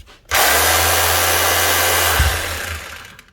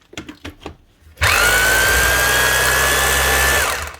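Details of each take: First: Makita HR2630 SDS+ hammer drill, customer's heavily used tool, on test before teardown: motor spins up to a steady high whir with no hammer blows, rotation only; hammer action not engaging, cause not yet confirmed. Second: Makita HR2630 SDS+ drill (2022) after rebuild with new piston, striker and O-ring and regreasing; two 2.5-second bursts, clean steady motor whine, runs normally; hammer may take a moment while grease spreads.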